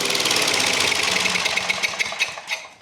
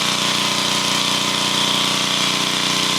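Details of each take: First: Old flathead engine on a welder, running with no power when welding: uneven, sputtering single-cylinder beat about three per second, fading as it winds down; leaking valves causing low compression. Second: Welder engine after valve repair, new head and valve cover gaskets, runs steady with an even drone and no knocks or ticks; sounds healthy, valves sealing.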